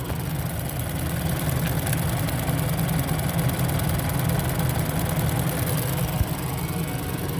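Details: 2019 Ford Escape 1.5L EcoBoost after engine block replacement for cylinder 2 misfire (P0302) from coolant intrusion: smooth, even low idle, steady rhythm, no misses or knocks; engine running healthy.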